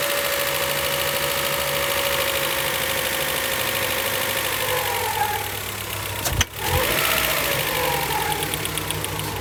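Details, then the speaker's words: 1999 Honda Prelude, 113k miles, dies after about 30 minutes idling warm and won't restart, suspected flooded rich, distributor being adjusted; loose, lumpy uneven beat that sags and nearly dies before catching: rough running and stalling. "and this is the exact symptom where it's one duck will die it's a little different because when it when it's totally flooded"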